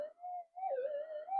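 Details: Metal detector mono coil with unshielded wires; a loud mid-pitched tone wavers as the coil passes a hot rock, a false signal that shielding did not stop.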